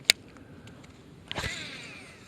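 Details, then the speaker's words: Late-1990s Shimano Curado CU-200 baitcaster cast in rain after one drop of oil on each bearing: click, swish, then softer spool whir falling in pitch; quieter than previous screechy casts, some gear noise on retrieve. "hey first cast was a bit quieter but it's too early to say it was a success"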